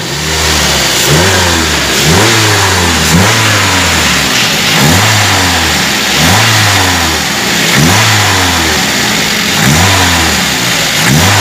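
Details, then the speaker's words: Toyota Avanza petrol engine blipped after replacing a bearing to cure a loud whine on acceleration; pitch rises and falls cleanly, the whine now gone. "suara desingan sudah hilang Tidak seperti Tadi kesiangan sangat keras"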